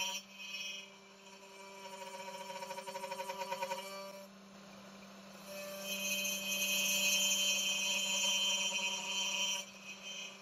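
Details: Genmitsu 3030 PROVer Max desktop CNC, stock air-cooled 300W spindle cutting aluminium in mini vise, progressive step-down: high steady spindle tone with rough pulsing buzz under load; spindle chatter as the underpowered spindle nears its limit, louder with larger chips.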